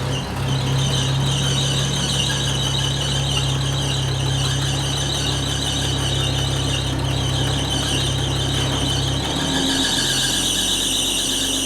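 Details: 1980 Chevy C10 square body pickup, long-abandoned, running after the fuel line was put back together: loud continuous high-pitched squeal over the idling engine the whole time, slipping loose drive belt. Loose drive belt squeal.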